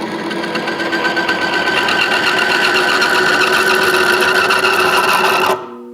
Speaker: when there's no oil at all in there we're going to get friction which you'll hear the noise the squealing noise that is actually metal part metal bonding together and breaking off